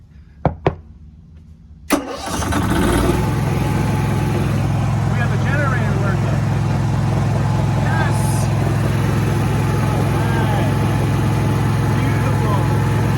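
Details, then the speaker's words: RV generator started by push button after battery replacement: a click, then the engine catches and settles into a steady, even drone with no knocks or surges; healthy start and run. "beautiful all right well now we know that that works"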